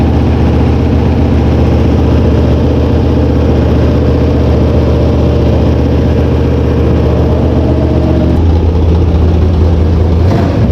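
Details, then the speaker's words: Mopar V8 drag car after setting valve lash, changing carburetor jets and oil: loud, deep, lumpy rumble holding steady, revving well, no valvetrain ticking and no carburetor leaks; healthy running. "Alright, so everything looks good. There's no leaks in the carburetor anywhere, and everything sounds fine. It's revving good. It sounds like our lash is good."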